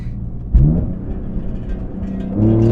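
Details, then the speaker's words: BMW E46 M3 with CSL carbon intake, CSL tune and Super Sprint race exhaust, hard acceleration on open road, heard in cabin; deep throaty intake roar swelling with revs, smooth, no knocks or rattles; healthy. "God, it pulls like a freight train. I can't believe it. It just sounds so good."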